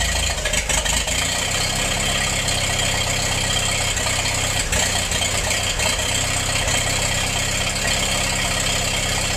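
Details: Massey-Harris 44 tractor, sat 30 years and stuck when acquired, stored 10 more, after freeing stuck intake valve and refitting a misassembled rocker part, new points: loud, steady run holding an even note, no knocks or misses; normal running.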